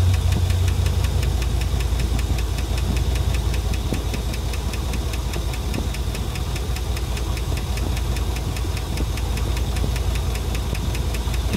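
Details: 2500HD 6.0 with over 300,000 miles at idle: fast even ticking, two or three a second over low rumble; owner attributes to noisy lifters, treating with Marvel Mystery Oil; not confirmed.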